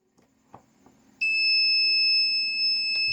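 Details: Rinrei DVB-T2 set-top box, completely dead: after a few faint clicks its EWS (Early Warning System) buzzer sounds a steady high-pitched alarm tone; the 5 V rail between two electrolytic capacitors drops, indicating overload or a short.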